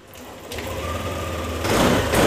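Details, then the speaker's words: Yamaha NMAX (new) after starter fault repaired by soldering: short starter whir, engine catches within a second and settles to steady idle; clean normal start, MIL still lit pending ECU fault-code reset. "ini starter motor langsung nyala"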